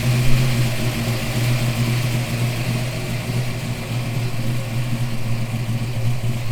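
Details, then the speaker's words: Fox Body Mustang with a forged 348 cubic-inch small-block Ford stroker built for boost, first fire after the engine swap: deep, steady V8 burble with mild rises in revs, no misses or knocks; runs smooth and good before break-in. "So car runs, it runs good."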